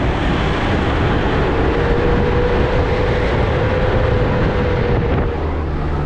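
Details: Diesel vehicle driving with a steady loud whooshing roar and faint held tone from the radiator fan; viscous fan clutch fluid too thick, keeping the fan locked up instead of slipping.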